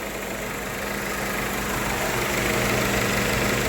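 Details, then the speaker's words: 1998 Honda Civic with replacement used engine after rod bearing failure: quiet, even idle, slightly rising, smooth regular beat, no bottom-end knock, like a sewing machine; normal idle. "it's in a really good condition bottom end wise very quiet actually one like a sewing"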